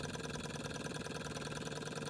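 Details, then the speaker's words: Small restored Stirling hot-air engine, exhaustless, run on an uneven burner: light even chuff at a quick steady rate, speed drifting slightly with the flame; running normally. "so guys the engine as you can see is going perfectly now"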